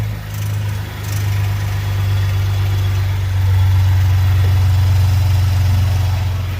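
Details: 2018 Lincoln Navigator / Ford Expedition with park brake fault C2008:13 and no cruise control, heavily mud-caked; deep steady idle rumble with a faint regular pulse, no clear knock or rattle; unidentified noise at idle, cause not yet shown.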